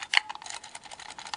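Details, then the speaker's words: Singer 401A Slant-O-Matic sewing machine foot pedal, found without cords, being shaken; a scatter of light uneven clicks and ticks as something loose rattles inside, cause unknown. "It sounds like a little bit of rattly in there."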